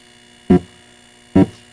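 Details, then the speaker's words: Atari Asteroids multi-game arcade board, just coined up, before warming: thump works, no thrust, explosions buzzing, and a constant low overall electrical buzz under everything that wasn't there when sounds worked; owner suspects the game board, not the amplifier. "the explosion are buzzing but I have a feeling it once it warms up the other sounds will start coming and going I do hear an overall Buzz which wasn't there when when they were working"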